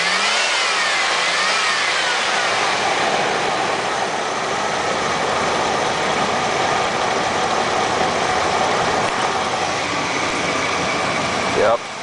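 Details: 1993 GMC Safari minivan V6 at 221,000 miles, owned 6 years: steady idle and smooth pickup when revved, no knocks or misses, runs great; only a rusted replacement oil pan is noted.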